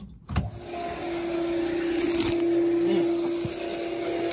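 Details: After a click, a steady mid-pitched motor hum runs a couple of seconds then stops: a heat pump condensate pump being tested, with the steam humidifier draining into it.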